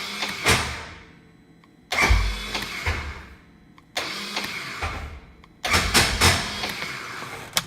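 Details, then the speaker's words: 2015 Polaris RZR 1000 no-start: repeated short bursts of starter whirring and clatter, starter spinning free without turning the engine over; not the starter but likely a failed one-way bearing (sprag clutch), fixed by replacing it. "it's not your starter. More than likely, it's the one-way bearing or the sprag clutch."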